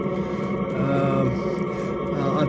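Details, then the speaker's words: A Chinese diesel heater on a MacGregor 26X sailboat, heard at its unmuffled exhaust, gives a soft, steady hum and hiss with no knocks or popping; it is running quietly and normally. "all right here we are at the exhaust and that's the noise it's not very noisy at all there's no muffler on there"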